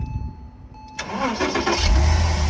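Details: 2003 Porsche Boxster (tiptronic), flood-salvage car bought non-running, with swapped immobilizer; warning chime, short crank, engine catches cleanly and settles into smooth steady idle; check engine light on afterward — normal restart.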